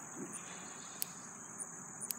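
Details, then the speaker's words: Electric farm fence shorting out: sharp dry snaps roughly once a second over crickets, from the fence wire arcing to ground through rain-wet grass; a loose end of electric strand also needed tying up. "the clicking sound and because it has rain in the grass is so wet that's normal I mean it's not great we don't really want it to be shorting out but that's normal"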